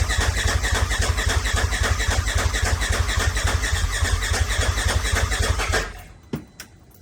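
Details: Turbo S buggy with a newly installed big turbo, head studs and injectors: steady starter cranking at nearly four compression beats a second for six seconds with no catch. Cranks but won't fire, even after the fuel pump came back on; owner is stumped and checking fuel pressure.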